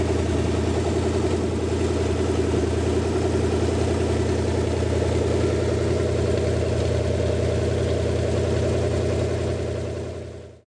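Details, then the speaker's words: Rebuilt show-quality Lincoln 368 Y-block V8 on an engine run stand, not yet fully warm, 70 psi oil, just above 1000 rpm: even steady beat, no ticking or knocking — normal idle. "you I hope everybody got a pretty good perspective of how well this motor runs it is ready to be dropped in its a show-quality motor"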